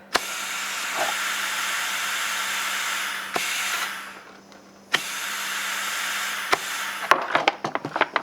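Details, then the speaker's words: 3D-printed 4-stroke compressed-air engine on a 20 psi test: loud steady hiss fades and returns with sharp clicks; air leaking past the ball valve, which seats on the O-ring because the push rod is too long. "now it's on a different cycle that is leaking way too much so i've done a little bit of troubleshooting the ball valve is actually seating just on this it's seating on the actual o-ring the problem is the push rod is too long"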